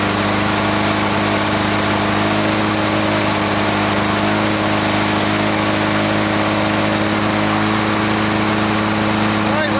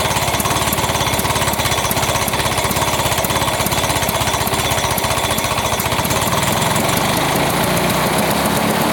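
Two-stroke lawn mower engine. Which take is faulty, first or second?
second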